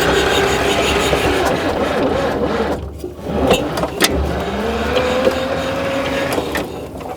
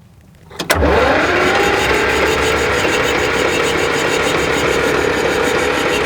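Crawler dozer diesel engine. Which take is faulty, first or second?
first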